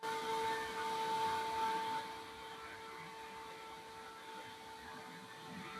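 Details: Stock power supply fan of an Elegoo Neptune 2S 3D printer, running with power on, held up and heard without the grille: a steady hum with clean tones and a soft airy rush, no rattle or buzz. Fan running normally.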